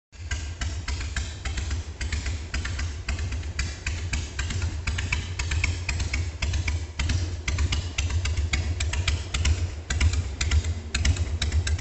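Deep, loping beat about two pulses a second, steady and even with no misses or ticks: a healthy slow idle.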